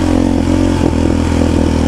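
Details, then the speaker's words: Raptor 700 ATV after dyno tune with AIS deleted, ridden with deliberate throttle blips: short revs with sharp pops and crackles through the exhaust; rider thinks reinstalling the AIS would clean up the popping, not confirmed. "You hear it popping a little bit. I think that's exactly what that AIS will clean up."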